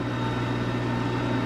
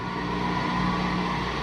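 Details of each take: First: LG WM3488HS washer/dryer combo after replacing hot-air circulator fan motor whose worn bearings caused the whine: smooth, even low fan hum with no whine or rattle; normal dryer fan operation. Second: LG WM3488HS washer/dryer combo during drying cycle, noise from upper back corner: after a minute it winds up into a steady harsh hum with low drone instead of smooth quiet hum; hot-air circulator fan motor (part 4681ER1007A) bearings worn.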